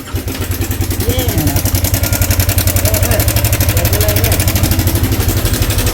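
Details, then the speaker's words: Yamaha Sniper 155 at 15,467 km, brought in not starting, at idle: fast, loud metallic clatter rides over the idle almost twice a second. Slack cam chain slapping; the automatic tensioner had reset itself and its spring had come off. "Yan, tensioner gaming na yan mga boss."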